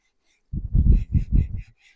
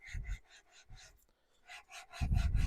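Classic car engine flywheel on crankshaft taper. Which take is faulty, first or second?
second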